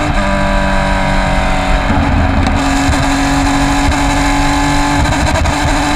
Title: Race 1 - Bad Misfire - 2020 PCA TRAC Road America